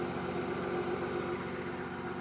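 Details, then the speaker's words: Volvo 960 just after cold start, following a PCV system modification: steady, fairly quiet hum over the idle from the secondary air pump, which quiets once it shuts off; normal operation. "So the noise you're hearing right now is this air pump, and I just started it up."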